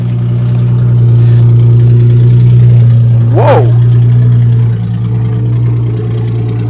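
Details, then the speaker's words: Car with 121,000 miles and an aftermarket exhaust, at idle: a very loud, deep, boomy droning rumble. No exhaust pipe is visible and mufflers are suspected missing, not confirmed. "Well, there's no exhaust pipe. I can't see if there's an exhaust at all. I think we're missing some some mufflers."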